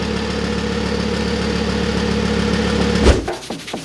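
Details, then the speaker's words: Wrecked Audi R8 after suspension rebuild, at idle: faint metallic buzz from left-hand exhaust outlet, quieter when foot presses on it, then engine shuts off; something loose rattling inside the exhaust. "so it sounds like that noise that we were about is actually something in this uh left-hand exhaust outlet i'm not sure what it is but something's rattling in there and when i place my foot on it like it like is really suppressed so we know it's something coming from there"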